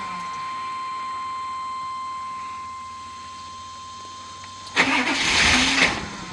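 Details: Warning chime while waiting for the security light, then about a second of cranking; the engine never fires. The security light won't stay on; no-start cause suspected, not confirmed.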